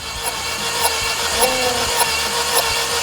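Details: Mini Cooper at roughly 100,000–200,000 km with multi-cylinder misfire codes, cranking: a steady whirring starter and a light beat about twice a second. Cylinder 3 holds no compression (burnt valve); coil and plug replacement did not help.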